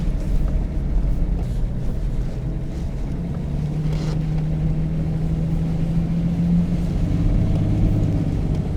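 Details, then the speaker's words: BMW E34 525tds diesel, reportedly rebuilt automatic gearbox, driving off in Drive: low steady rumble with gentle pitch changes through the gears, no flare or clunk; shifts smooth and barely noticeable, all gears working. "käigud vahetuvad mõnusalt sujuvalt ise ka aru ei saa et ee käigud oleksid vahetunud"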